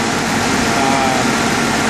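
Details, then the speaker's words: 1989 Jeep Cherokee after replacing the brake booster: steady, even idle with no hunting, misfire or shaking. The idle is noticeably lower, smoother and shakes less than before. "it sounds like my idle is a lot lower than it was previously. And it sounds a lot better. The engine's a lot smoother."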